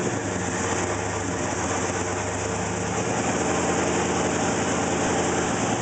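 Idle pulses unevenly at about three and a half beats a second with a loping, inconsistent rhythm; the engine is running rough. Cause suspected, not confirmed.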